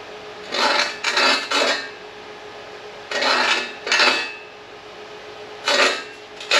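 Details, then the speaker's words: Reel mower backlapping after about a year since last sharpening (not cutting paper): rough rasping grind in bursts as the reel turns backward against the bedknife, contacting properly; normal backlapping grind. "Oh, it sounds so good. Sounds like success is what it sounds like."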